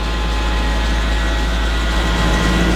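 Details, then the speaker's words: Car with water pump work, started after long sitting; steady thin squeal over even idle; WD-40 on belt's inner side silences it; belt looks fresh, so owner blames the belt tensioner. "confirm that by spraying a little WD-40 on the uh inner side of the belt and as soon as you do that the belt noise goes away so that tells you tension is bad on the belt or the belt itself is bad"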